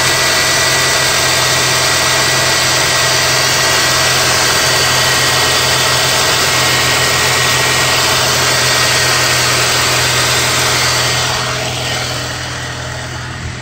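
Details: 2002–2005 EP3 Honda Civic Si hatchback idling with a loud, high, constant whir and rattle from a bad water pump pulley.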